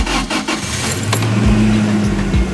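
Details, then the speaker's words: Toyota Tacoma recovered after theft, started with a spare key: key rattle, short crank, then it catches and settles into a steady, even idle; starts cleanly and runs fine, with no sign of engine damage. "All right, well it starts, it runs fine. It didn't blow up the engine, that's good."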